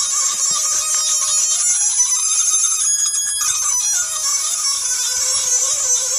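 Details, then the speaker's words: Flood-damaged Mitsubishi i-MiEV traction motor run from a small VFD on 240 V in place of its controller; a thin tone rising and falling with motor speed over electrical hiss, sounds funny, one wheel spins and the other doesn't, cause unclear. "Sounds like techno music. So, we are spinning one wheel. The other one's not going."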